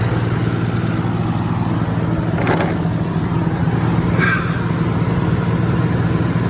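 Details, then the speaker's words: 1992 Nissan Skyline GTR BNR32 turbo engine after first oil change, possibly half a quart overfilled: steady, even idle with low smooth hum and no knocks or misses over a fan; sounds much better, healthy. "Let's try it again. That already sounds so much better. Oh, that sounds so good."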